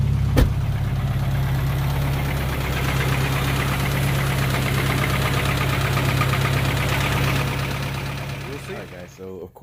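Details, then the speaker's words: 1992 Accord with stock JDM H22A, GT3582 turbo, 93 pump gas, warm idle: regular knock about three per second over the low note, easing a little with clutch pressed; alternator and oil changed, still knocking; owner suspects cam, unconfirmed. "I mean it sound like I know what an engine knock sounds like but it's it's almost weird like it kind of goes away a little bit when I push the clutch in"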